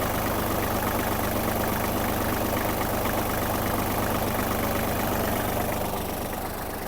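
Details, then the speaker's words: Japanese Kubota GL-29 mini tractor, 29 hp, started with clutch depressed and starting without issue: steady even idle, regular beat, no misses or knocks, no white smoke; engine healthy. "зараз Давайте ми його заведем та послухаємо Як працює двигун вижимаємо щеплення та заводимо завівся без питань"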